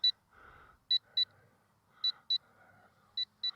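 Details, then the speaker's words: LSRC KS66 brushless drone flown in high rate in wind: the controller's telemetry low-battery warning, high sharp double beeps about once a second, giving about two minutes' warning. "you hear that beeping that is the um Telemetry warning it gives you about a two- minute warning when the battery gets low"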